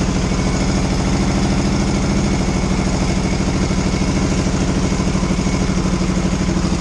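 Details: 1982 Yamaha XS650SJ twin on a lift, low on fuel, test fire after battery refit (dead battery suspected for earlier no-run): even, steady idle on choke with regular firing beat, no misses or knocks; running normally.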